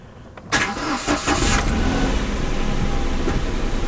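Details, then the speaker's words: Kia Picanto after dealer fixed engine rattle, cold start after sitting a night and most of a day, battery slightly low: quick crank, fires at once, settles into a quiet, even idle with no chain rattle; healthy. "battery's getting a bit low i think it works quiet as a mouse that's what we want"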